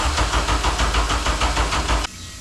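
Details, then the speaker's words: K24A2-swapped 1987 Acura Integra with 55 psi fuel pressure: steady rhythmic cranking at about four to five compressions per second for two seconds, stops without catching; cranks but won't start, cause not yet found. "I don't get it. Should be running."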